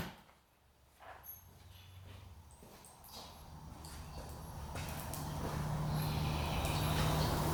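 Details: 1966 Yamaha YL1 two-stroke, not run in 15 years, after cleaning sticky old fuel from the carburettor slides: it catches and climbs to a steady, high buzzing rev that stays up instead of settling. High idle.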